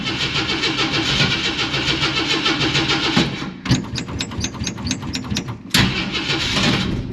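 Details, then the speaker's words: 1946 Studebaker M5 pickup with AMC 258 straight six, good battery, cold spring start at 70°F: long cranking, uneven chuffing, then catches and revs; cold-blooded carburetor makes hard cold starting. "Been having trouble with this carburetor, like I said, it tends to be cold-blooded. So let's see, it might take a little bit here."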